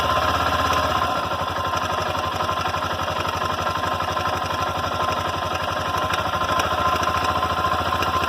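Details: Honda NX Falcon 400i single-cylinder at idle: fast, steady hammering knock rides over the idle with an even beat; internal knock, source not yet pinned down; engine knocking noise.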